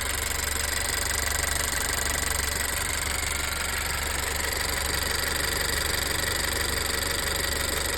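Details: Honda Earth Dreams turbo GDI engine at idle, running on 91 octane: fast, fairly even light tick about four per second; top-end ticking, cause unknown; it later returned after treatment.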